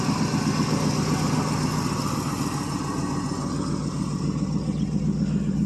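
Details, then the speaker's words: 1979 Oldsmobile Ninety-Eight 403 V8, carbureted, after sitting: low, uneven, lumpy idle with no crisp rhythm; it barely keeps running. The owner warns old gas can stick valves; cause uncertain. "she's kind of a rugged old car it's not horrible but it's definitely not bristin by any stretch of [Music] imagination"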